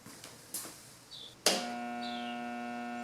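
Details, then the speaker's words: Air compressor with 25 psi in tank, plugged directly into outlet; a click then a steady low hum with no spin-up, motor stalled; failed start capacitor suspected, not confirmed. "You hear that humming? You don't want to leave it running like that if yours does that. What that tells me is it's trying to start, but it might be the start capacitor."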